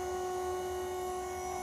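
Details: DIY 6DOF motion simulator control box on first test, actuator motor driven through the motor driver board and drawing about 1 A at 24 W: steady motor hum with a high whine that is noticeably higher in the other direction; cause unclear.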